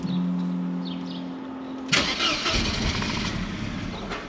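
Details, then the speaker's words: Mercedes 220E W124 with a suspected shorting wire in degraded wiring harness: starter cranks steadily, engine catches roughly then dies straight away instead of idling; cutting-out fault, owner thinks narrowed to that wiring. "oh that died straight away okay so looks like might have actually narrowed that down"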